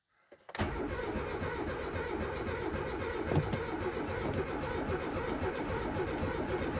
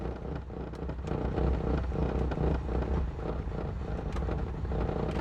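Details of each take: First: Renault 19 GTS Chamade 1.4 Energy, restoration project: starter churns about seven seconds at a slow uneven beat, never fires; fuel pump not heard priming, choke not yet pulled; cause unconfirmed. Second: Renault 19 GTS Chamade 1.4 Energy, restoration project, no coolant in it: starts on full choke, low uneven rumble steadying and picking up; revs clean, no smoke, runs well.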